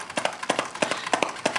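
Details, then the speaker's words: Biamp Advantage 601E six-channel line mixer, channel two: irregular scratchy crackling bursts over a quiet background while working the pot and pad switch, from dirty potentiometer or switch contacts. "for example let's go let's okay channel two let's do channel two you can hear it you hear the crackle"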